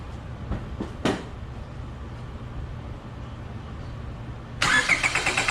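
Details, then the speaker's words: Car cranked to empty the fuel rail before a compression test: after a quiet stretch the starter turns the engine in an even chugging rhythm but it never fires; crank, no start, no fuel. "You will notice that the car did not start. Now I know the fuel rail is empty and I'm ready to perform the test."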